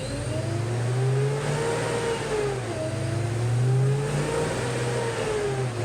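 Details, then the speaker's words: Supercharged 1993 Ford Mustang Saleen SA10 build with heavy-duty fan clutch that won't break in after about 200 miles: heavy whooshing roar rising and falling with revs; fan clutch roar, to be replaced with factory-style clutch. "i've got about 200 miles on the build at this point and it still sounds like a freightliner on the dyno i'll cue a little video of that right now and show you but the the fan clutch is just roaring"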